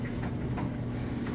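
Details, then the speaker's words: Whirlpool electric dryer running with no vent hose attached, so it sounds louder: a steady low rumble and airflow hum with soft, even clothes tumbling. The dryer is running normally. "and now you can hear that dryer might sound a little loud but that's because there's no vent hose on the back and with the vent hose on the back it's going to make this thing virtually silent you'll still be able to hear the clothes tumbling around a little bit"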